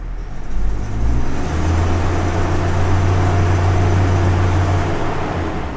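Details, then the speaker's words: Toyota Innova petrol engine: idle stuck around 1,000 rpm and won't drop; it stutters and won't rev past 3,000 rpm at full throttle, then hangs flat with a rough, uneven drone; faulty mass airflow sensor. "Ini rpm-nya kelihatan kalau kita gas tuh brebet-brebet gak mau lebih dari 3.000 enggak mau jadi enggak mau rpm-nya itu digas pool lebih dari 3.000 enggak"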